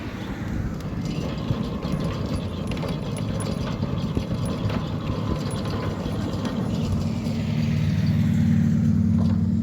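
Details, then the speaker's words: Newly installed Centurion D5 Evo Smart sliding gate motor, replacing an old Centurion D3, on its test run after installation: steady low hum with no surging or straining. The motor runs smoothly, without bouncing or laboring. "you can see, that the gate motor is not bouncing and laboring at all. One can hear the gate motor is running smoothly."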